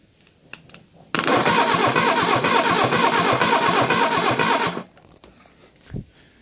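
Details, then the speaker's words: Reliant Fox engine, unrun for a few years, cranked on the garage floor for a compression test with the throttle wide open. The starter spins unevenly and it never fires. Cylinder 4 has no compression (others about 160); valve clearances are being rechecked. "we are getting no compression on sitting before compression as we've got no compression on cylinder 4 we'll start by rechecking the valve clearances"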